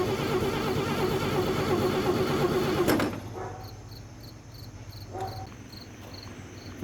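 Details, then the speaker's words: 1956 International S132 pickup, fed starting fluid, cranks steadily for about three seconds then stops without catching; no spark at the plug though 12 V reaches the distributor. Crank, no start. "guys so first things first we were checking the spark plug here because we didn't have spark so confirm there's no spark however we are getting power down here to the 12 volt terminal on the distributor"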